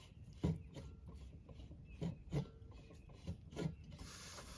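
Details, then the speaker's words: Gas One adapter refilling 1 lb Coleman propane tank, gas turned back off after filling: soft scraping rubs then sudden steady hiss as trapped gas purges from adapter; normal. "Turn our gas back off. Ready, you'll hear it purge again."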